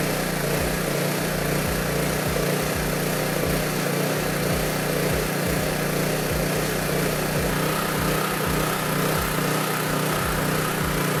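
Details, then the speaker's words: Honda EB3500 generator at about 60–62 Hz, engine just above 3600 rpm (about 3650–3660) unloaded, dropping to about 60 Hz under load: high, steady buzz at even governed speed, no surging or knocking; healthy. "as predicted when we first turned it on it was at like 60 62 hertz something like that and the engine rpm was a little bit above 3600"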